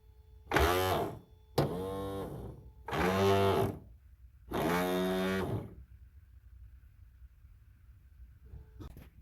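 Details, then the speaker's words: 1983 Mercedes 380 SEC (W126) sunroof motor, recorded at motor; short motor buzz bursts with rough ratcheting crackle; old plastic drive gear stripped, worn groove not meshing with worm gear. "all right so look at this the gear itself is in fact stripped the plastic is just old and that is worn out it is worn a Groove in this thing so it was not making contact with the worm gear in there"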